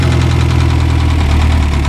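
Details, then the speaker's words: 1995 Ford Ranger cold start without starting fluid, check-oil light on: loud, steady idle firing on all cylinders with a deep pulsing rumble underneath of unknown origin; low rumble at idle. "Doesn't sound too bad. It's hitting on all cylinders, which is good. It does have a little rumble down there."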